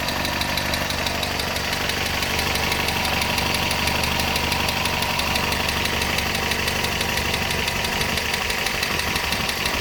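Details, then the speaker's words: 1971 Datsun PL521 (1600) pickup, warm idle with a very quiet exhaust: a smooth, even idle with a faint, light regular ticking on top; the owner calls the engine very smooth. "smooth smooth engine though like keeping my hand on it like that I can I can feel it but it's no worse than like a washing machine for running slow very very smooth"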